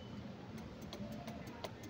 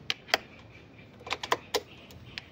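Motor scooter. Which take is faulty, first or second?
first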